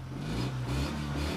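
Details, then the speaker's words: 1974 Honda Life Step Van, 360cc air-cooled carbureted engine warmed up and revving: smooth once warm, with a slight puffing edge from a minor exhaust leak. The carburetor needs a tune-up and stutters when the throttle is opened. "once it's warmed up it's better you can hear a bit of an exhaust leak there but nothing really to worry about"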